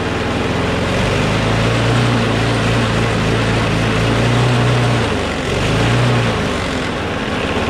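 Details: Craftsman push mower with a Briggs & Stratton Quantum engine, about 23°F, after easing spring tension: smooth steady single-cylinder hum with only a brief dip, sounding much better; slight vibration, owner suspects the blade is a little out of whack.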